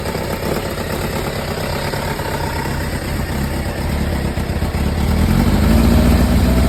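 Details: Kawasaki ZZR1100D inline four after muffler swap (SP Tadao Techsurf): busy, clattery rattle on the idle beat, rising as revs pick up; owner unsure whether mechanical noise or exhaust leak.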